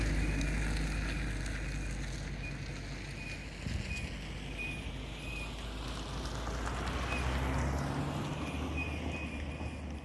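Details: GE8 Honda Fit with brand-new brake pads, while driving: a faint high chirp once or twice a second with wheel speed, under road and wind noise. It occurs with the brakes released and lessens when they are applied.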